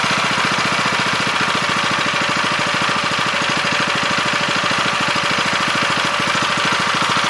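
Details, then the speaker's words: 7 HP Kohler air-cooled engine on a hydraulic power unit, after carb cleaning, idle speed being set by ear: fast, even putter at steady speed, no misses. "I'm just doing it by ear and then we'll start tightening up that either screw so we hear those RPMs lift a little bit"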